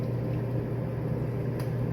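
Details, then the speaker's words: Dishwasher after its clogged drain hose was cleared with a hanger and cloth and refitted: steady, even low hum with no rattle or grinding as the drain pump runs normally and empties the water. "after turning on you can hear it's draining the water so it seems to be working"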